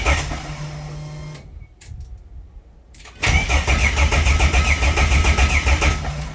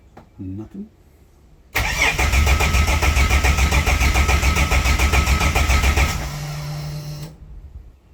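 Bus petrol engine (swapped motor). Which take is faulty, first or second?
second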